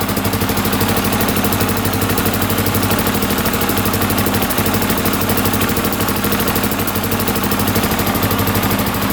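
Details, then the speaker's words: 1982 Honda XL500R single-cylinder, a little cold-blooded, throttle slightly adjusted: steady even idle, regular firing about three per second, no knocking; running healthy. "there we go she's a little cold blooded but she's idling pretty good now had to adjust the throttle just a little bit"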